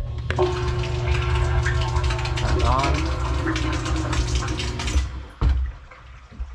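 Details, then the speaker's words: Everbilt HDS50 1/2 HP submersible ejector pump after repair, set on a level platform so the float can't snag, cover on, final fill test: steady hum with water moving, clean shut-off about five seconds in. Normal start-stop cycle. "listen to the pump start and stop one last time for peace of mind and that's about it"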